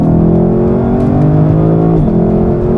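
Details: 2024 Lexus LC500, naturally aspirated 5.0L V8 (471 hp, 398 lb-ft), 10-speed, in Sport mode: strong full-throttle pull with a quick, clean instantaneous upshift and revs climbing again; sounds healthy.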